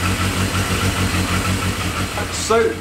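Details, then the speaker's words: Yamaha XJ650 four-cylinder motorcycle after engine service and battery charge, carbs untouched: even, steady low thump ticking over cleanly with no misses, then a brief rev blip; normal running. "I think we got really really lucky there the bike seems to be running quite alright to me that sounds very promising"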